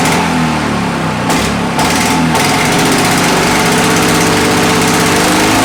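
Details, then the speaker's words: Victa Mustang 20 two-stroke lawnmower after replacing the manifold O-rings and fixing a cracked manifold with a missing inlet O-ring: catches after a brief stumble, then holds a sharp, steady, even buzz; runs really nice. "that has really sorted out how that engine runs runs really nice"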